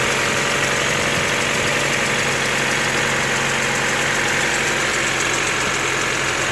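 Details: Honda D14A4 engine at cold-start idle: uneven, loose, irregular knocking through a busy engine drone; cold engine knock, cause unknown.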